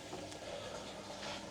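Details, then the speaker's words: Hotpoint WMAL 641 K washing machine drain pump running after a jammed piece of cloth was cleared: faint steady low hum with no rattle or grinding, drawing 25 watts while water empties; pump working normally. "You can actually hear the pump now, and you can see that we're drawing 25 watts of power and the water is emptying from the machine."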